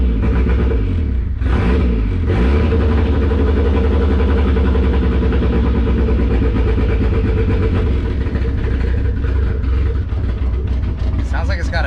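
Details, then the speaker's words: 1999 Miata NB body-swapped, rebuilt boosted engine, Megasquirt, freshly fitted LS1 coil packs: uneven lumpy idle with irregular stumbles, running rich; misfire on apparently one cylinder, owner suspected dead coil; MAP sensor vacuum hose found off. "we are having a misfire and it's not happening on all the cylinders i think it's just one"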